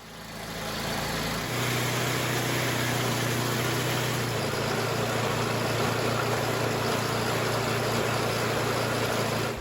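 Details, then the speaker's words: 25-year-old MTD Yard Machines snow blower with Tecumseh engine on fresh gas; hard to start because the primer bulb line was broken, then starts and settles into a steady, even putter without misses or surging once warmed up; normal running. "It started up without too much trouble and it ran pretty good once it warmed up."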